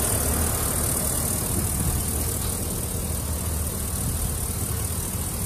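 Steady, even low rumble with no knocks, misses or rattles; this engine idles smoothly and sounds healthy.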